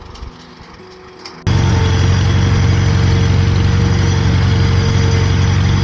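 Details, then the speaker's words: Unrestored, revived Farmall M tractor at steady low idle, hooked to a large mixer wagon; faint light rattle from the rear hood panel vibrating because its retaining Shepherd's hook is missing. "You hear that little rattling noise? It's because I still don't have one of the Shepherd's hooks for this back right side or the back left side anyway of the hood and vibrating just a hair."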